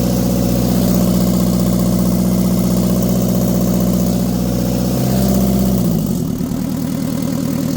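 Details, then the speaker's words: Mitsubishi FD25 forklift S4E diesel idling after injection pump timing fix, new glow plugs and injectors; steady even idle about four beats a second, no misses or knocks, settling lower; first start without ether, previously smoked badly with no power. "that is the first time that that thing has started without the assist of ether or rag soaked in gas or something like that"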